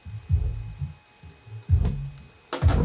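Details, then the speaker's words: Subwoofer after repairing its split paper cone edge with glue, previously knocking when bass hit: deep bass thumps at raised volume come through clean and full with no buzz or paper rattle; sounds healthy. "sounds good so far that sounds pretty good that's about as loud as what we had it before"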